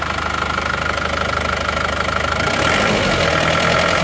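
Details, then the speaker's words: Isuzu Panther diesel that had limped and knocked, idling: a steady even clatter about three beats a second with no missing or lumpy firing. "yang jelas ini suaranya rata ya lihat dengan suaranya"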